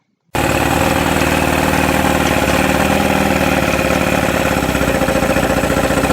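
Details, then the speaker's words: 1971 Mercury 500 four-cylinder outboard, after new fuel pump kit: lumpy, uneven loping run at steady speed, firing on only two cylinders; owner suspected fuel pump leak causing crankcase vacuum leak, but problem persisted. "then I knew that there was something a little bit bigger going on than that I thought maybe because it only had two cylinders that that that fuel pump leaking would have caused a vacuum leak through the crankcase and it wouldn't be able to pull fuel into the top two cylinders"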